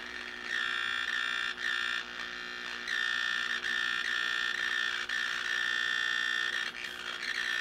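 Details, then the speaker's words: 1934 Grunow 501 five-tube transformerless radio, brought up on a variac to 90 volts with a 78 tube fitted: harsh steady fixed-pitch buzz with a rough edge; loud mains hum. "here in sound here shortly if we're going to hear it at all 90 volts I hear buzzing"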